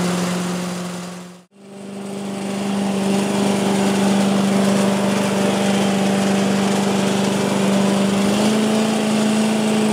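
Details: 1985 Billy Goat leaf blower, Briggs & Stratton 8 HP, after new spark plug, oil change, air filter and replacement gas tank: engine catches after a brief pause and settles into a smooth constant drone, no misses or surging; normal running.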